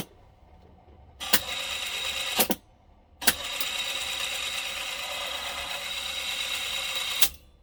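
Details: Sound Belle reel-to-reel tape recorder: a steady hissy scrape starting and stopping with the tape transport, a rubber part that has gone completely hard and drags as the tape runs.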